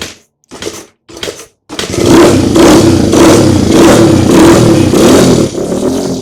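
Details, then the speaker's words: Rescued Honda CRF100 dirt bike, cold, with the idle screw turned up. It cranks in three bursts, then fires with loud, uneven revs; it must warm up before the idle can be set low and even. "Got to let it warm up before we really set that idle. Um, so we'll see if we get some heat in it."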